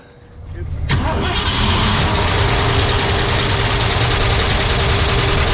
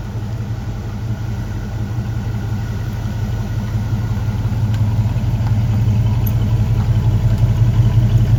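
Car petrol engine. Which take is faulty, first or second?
first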